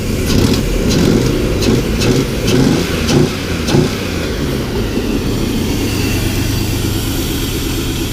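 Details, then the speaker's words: 2000 Chevy S10 first start after fuel pump replacement with plugs, wires and injectors reinstalled, air cleaner still off; fires with a few revs, settles to smooth steady idle, no misses or knocks; runs, charging, good oil pressure. "It runs, it's charging, has good oil pressure."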